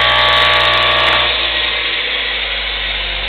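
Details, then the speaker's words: Air compressor driven by a motor taken from a bandsaw, running twice the compressor's intended RPM, geared down; the original pulley kept it from reaching speed and tripped the breaker: a steady, high, even motor whine with a strong hum shows overspeed. "it's running twice the RPM that it should for this compressor so we did have to down gear it"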